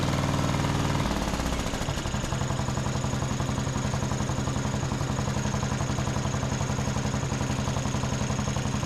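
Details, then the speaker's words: John Deere D110 mower single after spark plug gapped to 0.030 in and tightened, carb richened a quarter turn: steady even thumping about three and a half pulses a second, no misses or surging; runs smoothly. "That sounds much better."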